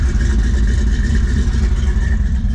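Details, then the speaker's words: V8 with exhaust dumped right at the bottom, started to warm up after a brief starter grind: deep, loud, steady rumble with even pulse, no knocks or rattles; sounds good, normal running. "Woo! Not a good sound, but listen to her now. She sounds good."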